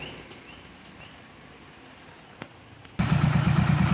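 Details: Motorcycle after repair of a seized engine. Quiet outdoors, then it fires at once and settles into an even, steady idle with no knocking or scraping. It runs healthy.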